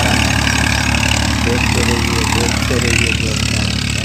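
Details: Massey Ferguson (Massey Standard) 241 tractor after repair; steady, even diesel idle with a deep, regular beat and no knocks or misses; engine sounds healthy.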